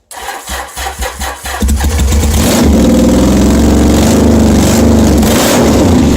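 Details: 1981 Yamaha XS850 Special after carburetors refitted, cold day on full choke: cranks a few beats, catches, then settles into a harsh, very loud raw exhaust drone because the exhaust tips are removed.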